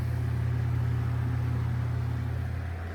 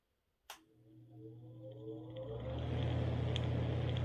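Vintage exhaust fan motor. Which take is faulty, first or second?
second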